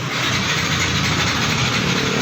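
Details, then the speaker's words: Yamaha NMAX 155 with good battery and speedometer lit: steady starter whirr that never catches, no firing pulses; cranks but won't start, with a bolt and cover found dropped inside the fuel tank. "Untuk speedometer menyala. Di starter tidak bisa ya. Nah, ini motor tidak bisa hidup."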